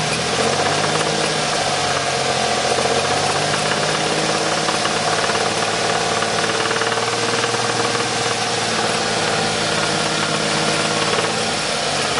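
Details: 1994 Ford Taurus SHO at idle, knock appeared about 500 miles after timing belt change: fast, even metallic knock over engine; source unknown.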